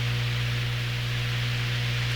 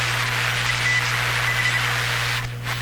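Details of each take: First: Hammarlund SP-600 ex-military receiver, all paper capacitors replaced, still warming up, tuned near 19 MHz, audio fed straight into the recorder: constant low mains hum under hiss. Owner suspects the audio hookup rather than the radio; unconfirmed. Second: Hammarlund SP-600 ex-military receiver with replaced paper capacitors, audio fed directly to the recorder: short, clean, high-pitched Morse dits and dahs over low hum and hiss, as Morse should sound on this receiver.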